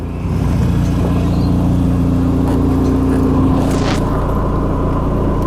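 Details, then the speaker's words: 1991 Saab 9000 Classic Turbo CC (B234), first drive after five years stored, fresh fuel: loud, deep, boomy four-cylinder exhaust rumble, far louder than stock, because the rear muffler fell off. "took it for a drive and what do you know the rear muffler fell off so now it's got a full exhaust sounds like sub on steroids"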